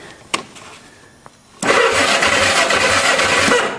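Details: Old go-kart engine with the same decades-old oil, cranked via booster cables from a salvaged battery: a click, then brisk, even cranking about three turns a second with no binding. The engine cranks freely and is not seized.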